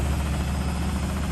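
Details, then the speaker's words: Beko washing machine on fast spin in a shed on a wooden floor: deep, steady low rumble with the floor shuddering and a light banging against the shed; the machine is unlevel and rocking. "Obviously the Becco's having a little bit of a dance. I need to level that a bit. Jesus. I need to level that."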